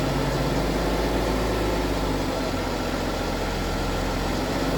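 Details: BMW F15 X5 with N57 diesel at steady idle: faint constant rattly clatter under the low drone, consistent with a worn timing chain.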